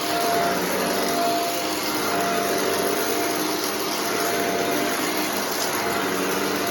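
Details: Shark vacuum cleaner after a sock clog was cleared from the hose and extension wand: a smooth, even rushing hum with a steady tone and no surging, rattling or choking. The suction path sounds clear; running normally.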